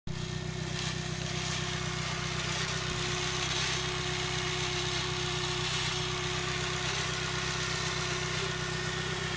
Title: sr20det strange noise ??? pt3